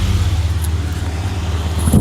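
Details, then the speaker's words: New Havells Ventilair DB 9-inch (230mm) low-noise exhaust fan, room-mounted as outgoing fan, mic held close: steady low hum and soft air rush, no rattle, grind or squeal; only air noise, running quietly and healthy. "दोस्तों इसमें noise बहुत कम है, air flow इसका बहुत बेहतरीन है। ये कमरे की हवा बाहर कर रहा है।"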